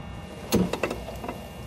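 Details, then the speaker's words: Yamaha G29 golf cart electric motor clunking when the throttle is released: one sharp clunk on lift-off, then lighter knocks, apart from the solenoid click; worn input shaft bumper. "now to repair the clunking it's an input shaft bumper is what we're going to replace here"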